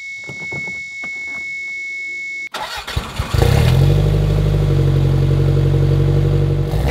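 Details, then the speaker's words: Toyota MR2 Turbo with 3S-GT engine, slightly overheating, started with sticky key: after a chime it cranks briefly, fires and settles into a loud, somewhat uneven low idle; engine runs rough. "okay so it's not actually the best running car in the world but it does have a lot of the mr2 s original charm"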